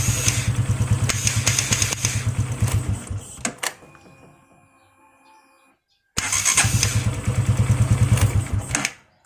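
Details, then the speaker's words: Honda Wave 125i LED starter motor: loud, harsh, fast chattering crank at about three beats a second before the engine fires; noisy, sometimes weak starter, owner suspects loose magnet or worn brushes, unconfirmed. "เสียงประมาณนี้นะครับมาค้างมันก็จะดังกว่านี้นะครับผมแล้วแต่สตาร์ทเป็นบางครั้งบางครั้งก็เหมือนไม่มีแรงครับ"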